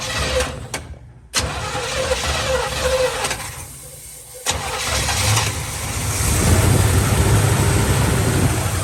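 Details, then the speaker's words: 1950 Plymouth Deluxe with Chevy engine swap, first start after 23 years off road, new fuel filter and spark plugs, fed from gas can, poor choke: V8 cranks, stumbles and dies, then catches and settles into steady slightly lumpy idle; first start after storage. "so we got it now so that it idles all on its own it's using the fuel pump on the engine"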